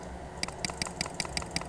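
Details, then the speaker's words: Mechanical keyboard switch retested on a keyboard tester after cleaning and resoldering, formerly double-clicking; crisp single clicks about five or six a second, no chatter or doubled strikes; switch now working normally. "Nah, ini udah lancar banget sih ini udah enggak ada masalah."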